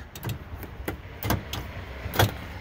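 Three or four crisp thunks a second or so apart over a quiet background; the power door locks are firing normally.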